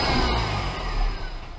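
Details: Short, clean throttle blip rising and falling smoothly, no knocks or rattles, on a Mini Cooper S after track build with 17% smaller supercharger pulley, new intercooler, induction kit, belt and spark plugs, still awaiting remap; engine sounds healthy.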